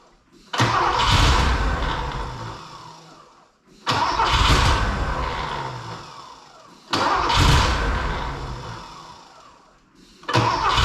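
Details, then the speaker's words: Rare Porsche 928 cranked after purging fuel with coil disconnected, catches and runs lumpy with a heavy uneven thump, dying and restarting every few seconds; misfiring, owner hopes fresh fuel will clear it. "a little run a little bit more still thumping it's going to stall there it goes"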